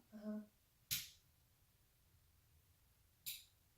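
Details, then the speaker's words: New 6-inch self-contained LED ceiling fixtures on a dimmer in a remodeled master bathroom; short low buzz as lights come on, then sharp clicks switching off and on; fixtures buzz and click when switched, buzz dropping off as dimmed. "hear definite buzz clicking when it goes off and on the loudest loud was to me right now it's so now here's where the discrepancy comes in"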